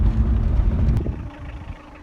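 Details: 2000 Toyota Cresta 2L-TE diesel after replacing the injection pump and setting timing marks (lost power and knocked near pump, owner blames water in fuel): revs up and drops back smoothly to quiet idle, no knocking; sounds healthy.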